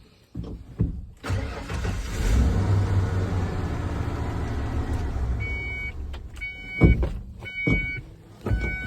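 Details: 1994 Ford F250 with new key, clutch cycled: short crank catches straight away into an even idle before shutting off; seems to start every time, nothing wrong.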